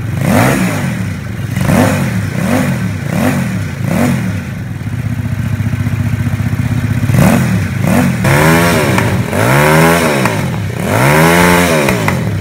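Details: Homemade Vietnamese mini Ducati L-twin motorcycle, just fitted with exhaust, fuel tank, forks and wheels; plug lead reconnected after running on the auxiliary cylinder alone, both cylinders firing; lumpy twin idle beat, then crisp blips climbing and dropping cleanly; normal running.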